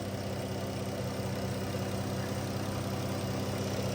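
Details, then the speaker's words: Dodge Caravan after fixing white smoke, check-engine light and cylinder 3 misfire by replacing oxygen sensor and worn spark plugs and cleaning MAP sensor: steady, even, smooth idle with no shaking; normal. "Ayan, tahimik na ng makina at wala ng kakalog-kalog."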